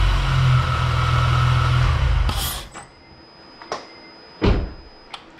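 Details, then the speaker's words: 2006 Acura TL with Comptech supercharger, test fire after fitting P2R adapter and J37 throttle body, before air filter: smooth, even idle about two seconds, then shut off with clicks. Normal. "everything's sounding pretty good it's sucking in more air the throttle response is there so i could definitely hear that it's working good"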